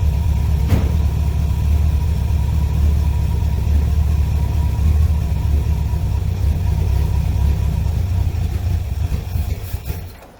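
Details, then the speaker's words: 1963 Chevrolet Impala V8 with Holley carburetor, choke tied off, bowl hand-filled: catches and rumbles about ten seconds then fades and dies after 5-6 attempts; owner suspects it isn't pulling fuel from the tank; starts then stalls. "I've cranked this thing about 5 or 6 times, and it just won't keep running. Now, I don't believe it's pulling up the fuel from the tank, so I'm gonna add me 3 or 4 gallons to the tank and see if I can keep it running."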